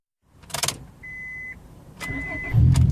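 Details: 2000 Honda Accord with new starter and new battery installed: chimes and door clatter, engine catches on first try and settles into steady idle; normal start and idle.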